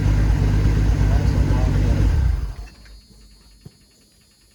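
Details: 1984 Ford F-250 revived after 2010 flood, cranked on a jump box with boost; quick, even cranking rumble for a couple of seconds: normal cranking speed.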